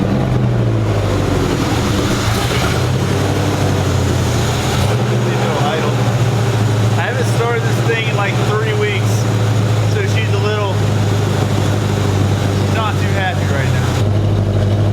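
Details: Cold start of a 1965 Mustang V8 with carburetor and newly installed 2.5-inch header-back true dual exhaust: loud, deep idle lopes and wavers unevenly instead of settling; rough idle caused by a misrouted PCV line, later fixed.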